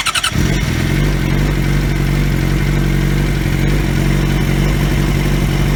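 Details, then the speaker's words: 2003 Yamaha YZF-R6 after replacing ignition coils that left it running on two cylinders, exhaust dented: starts and settles to smooth even idle, all cylinders firing; normal idle. "the bike sounds much better even though my exhaust is still dented in because I'm an idiot but that's besides the point overall she sounds good though"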